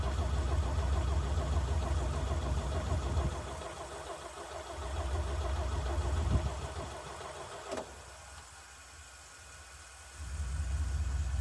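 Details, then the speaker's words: 1965 Chevy C50 grain truck abandoned for years; bursts of steady cranking at about 2.5 turns per second with no firing. The fuel filter is empty, and the owner suspects a fuel line leak is starving the engine. "Okay, I'm thinking there's a leak somewhere and that's why it's not pumping because it's not getting any fuel. whatsoever."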